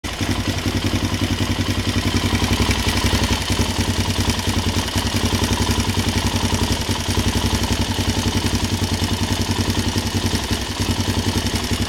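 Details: Suzuki LTZ 400 at idle: a steady, fast, even tick that follows engine speed, a top-end ticking with the source not pinned down.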